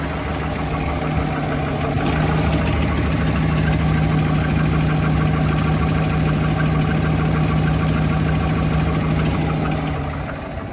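Steady idle with a light, fairly regular tick riding over it, roughly three per second; something is ticking in the top end, cause unclear.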